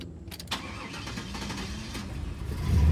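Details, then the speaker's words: Project box Chevy, owner self-wired, tuning untouched; brief crank then engine fires into a steady low rumble with no knocks or misses; normal start and idle. "But like I said, the car does run. Matter of fact, I'll start it up for you."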